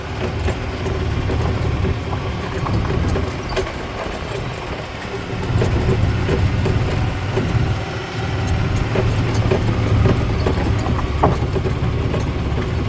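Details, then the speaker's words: 2008 Yamaha Drive G29 gas golf cart after primary and secondary (drive and driven) clutch replacement and a prior backed-out head bolt repair, driven: the engine pulls with a steady low hum and no judder, slip or grab as speed changes, then eases back to idle; super smooth. "wow this is like super smooth and it'll back off it'll continue to idle and you see ease into it"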